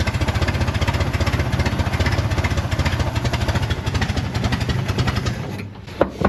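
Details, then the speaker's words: 1969 Corvair (paperwork says 69) flat-six, unrun for years, exhaust leaks: fast choppy exhaust pulses with uneven beats before the engine dies; rough running, probably needs carburettor work. "so I'm going to put them back in a turn so at least it's where it was sounds to me like it also needs carburetor work not"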